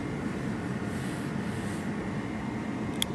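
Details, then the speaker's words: Ford ST150 heater blower after replacing the motor with shot bearings (previously grinding) and the blown resistor pack: smooth even hum, no grinding or ticking, much quieter; normal blower fan operation. "it's so much quieter oh that was definitely our issue wow that's so much quieter"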